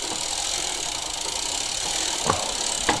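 Constant hissy whirring from the drivetrain with a couple of sharp ticks; the chain is rubbing because it is misrouted through the rear derailleur.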